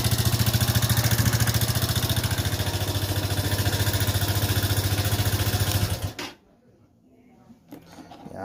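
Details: Haojue DR 160 cc motorcycle suddenly developed an engine noise: regular pulsing beat, about three and a half per second, at steady idle before shutoff; cause unknown, engine to be disassembled.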